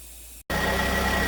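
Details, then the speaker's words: 2009 Pontiac Vibe at idle after the alternator replacement for a failed rectifier, charging at 13.5 V into a low battery: a steady high-pitched whine over a smooth idle. Diode ripple is normal at 40–50 mV; the alternator is working hard, which is normal. "so there's the alternator charging now at 13.5 let's see what the diode ripple looks like now the alternator is working pretty hard because the battery is low"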